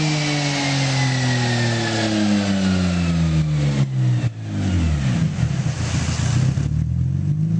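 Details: Nissan GTR on dyno rollers, revs climbing under load, then the pull turns ragged and stumbling with uneven popping as cylinders drop out; misfire under load, cause suspected but not confirmed.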